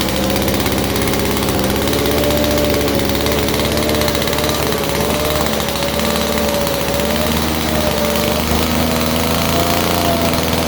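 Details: 1947 Chicago-made two-stroke Mall 6 ft chainsaw, barn find unrun for over 40 years, first start on a cold day; loud, steady two-stroke buzz at even pitch with slight wander; running and idling normally.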